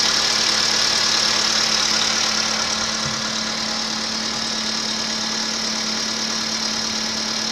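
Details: 2015 VW Polo Sedan, 1.6 85 hp, 24,200 km, knock present since 14,000 km: cold-start idle with an even, sharp ticking knock about three times a second. Cold start engine knock, cause undetermined.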